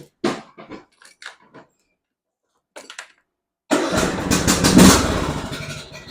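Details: John Deere riding mower starting after blade replacement: a few clicks, then the engine catches and settles into a steady, even run, swelling briefly as the blades engage, sounding healthy.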